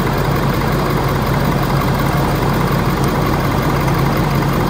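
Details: Ford F450 Power Stroke diesel, cold after new serpentine belt, warming up: steady, even low idle with smooth rumble, no knocks, squeals or belt chirp. Normal idle.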